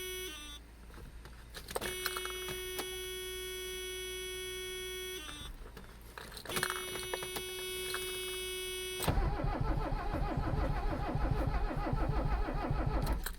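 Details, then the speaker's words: Abandoned Mercedes 300CD diesel with glow plugs: warning chime, then steady starter churning about three beats a second that never catches; crank no-start, owner thinks it needs ether. "I think it needs ether."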